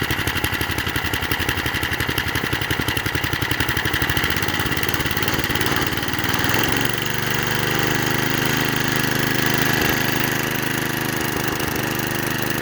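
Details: Vintage McLane reel mower's Briggs & Stratton single-cylinder, revived after 15 years sitting, still on old black oil: chugs along, then the note drops and smooths as the reel is engaged and takes load; steady running, no knocks.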